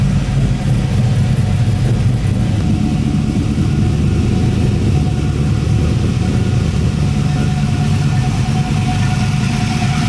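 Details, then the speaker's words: LS V8-swapped Nissan 240 just after an upgrade rebuild: a deep, steady V8 burble with an even low thump and no knocks or misses. It started with barely a turn of the key and settled into a healthy idle. "it's already running pretty good I'd barely turn to the key it's already nine different this is awesome I'm stoked"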